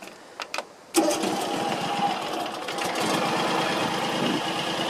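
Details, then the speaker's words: John Deere X320 mower, 260 hours, after replacing PTO clutch bearings with deck fitted: quiet start, then steady even drone with no grinding or squeal; owner says it sounds much better, especially at idle. "Oh I think that was a good idea to do that it sounds much better especially when the idols and doesn't so"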